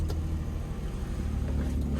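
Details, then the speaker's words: Copart auction car (Infiniti or Nissan), 144,000 miles, on a brisk cold morning: a steady, even, low engine note with smooth firing and no knocks or ticks; a healthy-sounding V6 running normally. "so looking at it and it sounds pretty good really good actually [Music] sounds really good okay yeah this thing sounds good 144 000 miles definitely uh"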